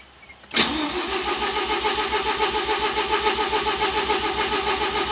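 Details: 1987 Mazda RX7 with rebuilt rotary engine on MegaSquirt 2 V3 and a Racing Beat pulley, cranking while timing is being set: starter cranks steadily and fast, almost catches but never fires despite fuel smell; crank with no start.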